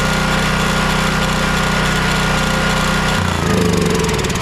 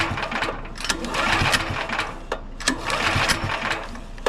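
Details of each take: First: Champion dual-fuel 9375 generator (7500 W rated on gas) after carburetor clean/rebuild or freeing of a stuck solenoid, choke on: catches, then settles to a smoother even beat with no surging; starts and runs well. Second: Champion 9375 dual-fuel generator, choke on: repeated pull-cranking with a raspy mechanical whirr and no firing at all; spark and compression good, diagnosed as a clogged carburetor starving it of fuel.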